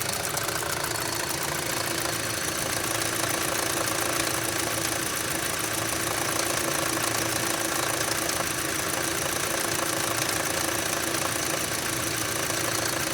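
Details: 2006 Audi A3 2.0L at idle: fast, fairly steady ticking knock about four a second, still present after the oil sump was cleared; cause unknown.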